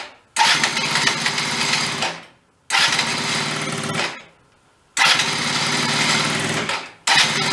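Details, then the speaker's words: Benelli Andretti M50 scooter, 500 miles, long stored non-running, exhaust refitted: fires in short two-second bursts then fades each time, never holding revs; would not take throttle, cause unclear. "and now we've put it back together minus the exhaust it idled would not take any gas now the exhaust is back on"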